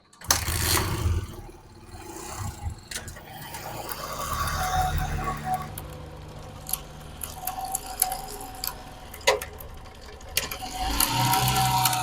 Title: Bike chain noise problem #zubairbikerepairing #experiment #shortsfeed #diy #shorts